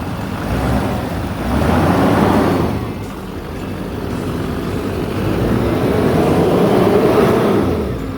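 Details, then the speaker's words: 2008 GMC Sierra 3500HD, 6.6L Duramax with Allison auto and Edge tuner, 127,223 miles, parked since about 2021–22, new batteries, check engine light on: diesel idle swells smoothly with two throttle blips and settles cleanly; no smoke; normal diesel rev. "It starts right up. You can hear it run."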